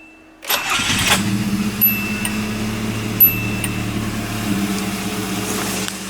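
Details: 1988 Nissan Sentra E16i, still cold with low fuel, is switched off and restarted after troubleshooting: a short crank, then it catches at once and settles into a steady, even idle. A clean, healthy start with the car running normally again.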